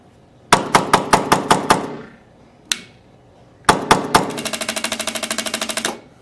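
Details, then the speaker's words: Tippmann X7 Phenom paintball marker that fires in mechanical mode but not electronic mode: the e-grip trigger gives dry clicks in slow then rapid bursts with no firing pop. A firing pin issue is suspected. "You can hear the clicking In the e grip so we know that the electronics are working is just not firing the gun every single time"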